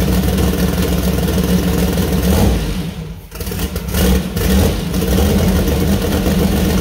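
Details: First start-up of new 2000+hp LS build (Dart block, 4in stroke crank, Wiseco 4.140 pistons, Brodix BR3 heads, .750 lift solid roller cam): strong steady idle rising cleanly on blips and settling smoothly, no knocks or misses; runs healthy.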